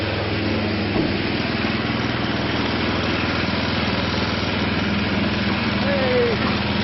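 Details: Craftsman snowblower after transmission replacement, cold morning start with choke and priming: small single-cylinder engine settles into a steady even idle about four beats a second; runs normally.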